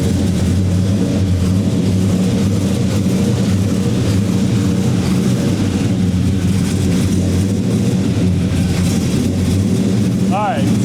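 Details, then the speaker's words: 1970 Dodge Charger R/T SE 426 HEMI V8 just started cold: deep, even rumble under a loud steady whoosh from the large engine fan, possibly crank-driven; engine runs smoothly, a little cold-blooded and slightly rich, fan noise normal. "so it starts by the way that fan is super serious is that thing on the crank"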